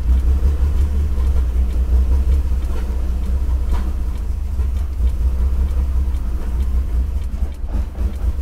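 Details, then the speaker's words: Lexus IS300 on the first start after relocating the ECU to the interior and extending the engine harness, O2 sensors unconnected: low, uneven loping idle that never settles; owner feels a misfire and the exhaust smells very lean, cause unconfirmed. "feels like a misfire come on don't do that no"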